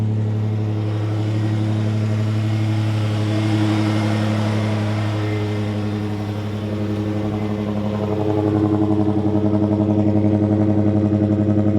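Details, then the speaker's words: Toyota 5VZ-FE V6 in 4Runner/Tacoma, started right after spark plug and coil replacement: smooth idle, revs and steady even exhaust note; normal engine running and revving. "Oh, she sounds good. Oh man, that exhaust sounds so good."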